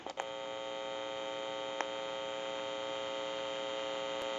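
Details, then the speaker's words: Constant buzzy hum with steady tones and clicks, heard through the amplified troubleshooting pickup with the receiver of a repaired Country Line wood wall telephone hung up; the hum comes from the amplifier, not the telephone. "so that is coming from the amplifier and not the telephone"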